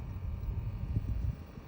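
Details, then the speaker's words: New temperature blend door actuator under the dash (old one's gear slipped clicking at cold end): moving from cold to hot and back gives only low steady cabin hum with soft bumps, no clicking; quiet after replacement. "this is the new one right now it's in cold position now let's going to hot no noise come back to"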